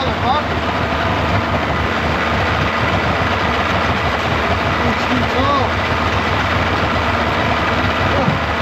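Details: 1995 Yamaha 75hp two-stroke outboard in a test tub after water pump replacement with plugs in, warming up: steady, even idle with a light crackle and no misses or knocks; running clean.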